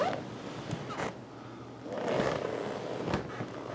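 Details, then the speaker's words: Rocker recliner after the excess screw that hitched on the bent undercarriage was shaved off: it moves smoothly from reclined to upright with no clank, only faint spring creaks, which are to be greased. "alright we're back in business they get some a little bit of the springs have a little bit of noise to them we're gonna eat them a little bit of grease"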